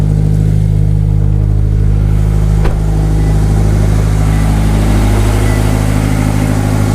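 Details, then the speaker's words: Subaru BRZ after alternator replacement, which had failed while driving with battery light on, starting and running with a strong, even, smooth note, charging confirmed; normal running engine. "Let's start it. Oh, it works. Perfect."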